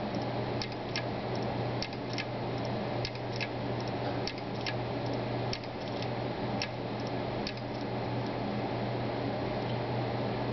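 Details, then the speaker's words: Brand-new Seagate Barracuda 1TB hard drive during a long operation: sharp, irregular clicks, roughly one a second or less, over a steady low hum; owner finds it loud and suspects it isn't normal. "But you really do get an indication of how loud this drive is, and it doesn't sound normal to me."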